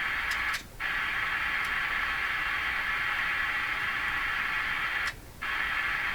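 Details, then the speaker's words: National HRO-500 communications receiver: steady receiver hiss cuts out abruptly twice for about a third of a second, then returns; the scope shows the same, so the intermittent audio dropout lies further along the signal path. "so when the sound goes out the uh scope the scope uh doesn't the scope shows the same thing the problem's got to be Beyond here"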